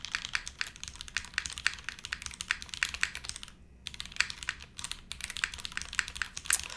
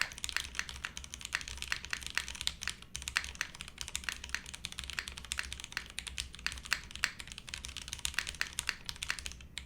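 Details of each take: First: Monokei x SingaKBD Jaguar TKL keyboard, TTC switches: a steady run of typing clicks with one harsher, brighter clack. The space bar still sounds sharp, and the owner thinks it's the switch. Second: Monokei x SingaKBD Jaguar TKL, o-ring mount, TTC switches, PBT keycaps with flipped spacebar. Steady flurry of crisp, even key clacks at quick typing pace, no rattles or pinging; poppy, clacky board sounds healthy.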